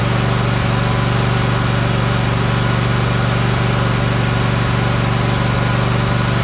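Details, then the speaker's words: Troy-Bilt Horse riding mower with no power: engine runs smooth with an even beat around four pulses a second but is slow, not reaching full governed speed. "all right it sounds good but it's not at it's full H or full idle or um accelerated it's not accelerated as far as it's supposed to be"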